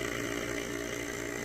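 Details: Vacuum canner pump sealing mason jars of freeze-dried food: steady even motor buzz with constant hum, no surging or labouring; running normally.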